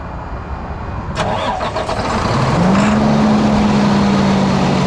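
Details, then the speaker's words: Freightliner heavy truck diesel broken down, hard to prime after fuel filter work, starting fluid sprayed: starter churns over two seconds before it catches, climbs and settles into steady idle; hard start from air in fuel system. "his thing's going to be a pain in the ass to get primed"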